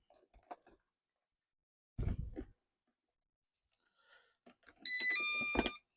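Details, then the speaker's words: Eufy RoboVac: a quick cluster of four high electronic beeps with a red indicator among handling clatter. This is the low-battery alert, though power was believed fine. "Four beeps. RoboVox power level is too low. Solid red indicator."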